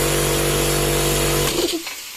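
Compressor motor runs up and pumps at a steady, even beat with no humming stall, then cuts off cleanly; unloaded start working properly.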